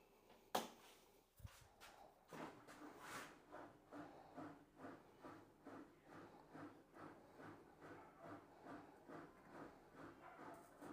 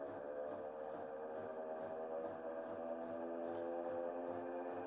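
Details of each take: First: Bosch front-loader washing machine tested on the spin cycle after repair for a noisy spin that left clothes wet. It spins smoothly with a swish about once a second, free of grinding or knocking. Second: Bosch washing machine on spin cycle, complaining of noisy spin and clothes left wet: loud, steady droning whine with a throbbing pulse, abnormal for spinning, from worn motor bearings.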